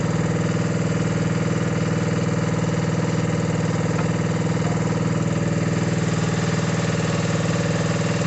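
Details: Mini digger diesel, previously not starting (lazy starter motor suspected), gives a steady chug of about four even pulses a second at constant speed, with no misses or knocks; normal running.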